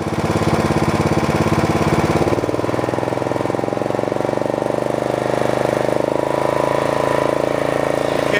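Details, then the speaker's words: Snapper riding mower, client's machine, in neutral with engine speed turned up and blades engaged: steady, even engine chug with constant blade whirr, no knocks or rattles; engine runs okay and blades work, passing the function test. "the engine runs okay the blades work good don't have any kind of problems with blades they're good to go"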